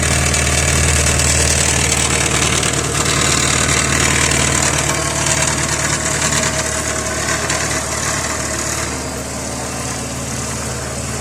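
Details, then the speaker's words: Idling engine with a hissy, puffing exhaust note and light metallic buzz: the clamp on an exhaust pipe joint loosened over time, the joint lost its seal and leaks exhaust, so the parts rattle against each other. "Со временем зажим ослаб, и соединение потеряло герметичность. В результате в этом месте начала происходить утечка выхлопных газов, из-за чего детали стали дребезжать друг о друга."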